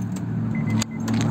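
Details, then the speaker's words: 2012 Honda Accord no-crank: sharp clicks on each key turn with no cranking; test light confirms power on the starter signal wire, so the starter is judged faulty. "so 100 we're getting power on that wire and our starter is definitely no bueno"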